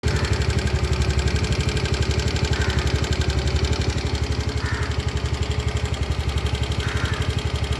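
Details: New TVS Jupiter 110 E20 2024 model scooter at idle: loud, steady beat about three pulses a second with a rough, clattery edge, noisier than the previous vehicle; excessive engine noise, cause unclear.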